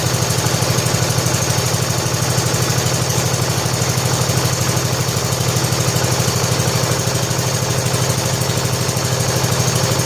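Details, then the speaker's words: 1970 John Deere H3 garden tractor single-cylinder engine after head gasket replacement, old oil, cold evening about 47–48°F, idle set high: steady, even thump about three beats a second, no misses or knocks; idling smoothly and healthy. "Let me grab a screwdriver so I can turn it down a little bit, because there's no reason for it to run this fast now, because it's going to run good."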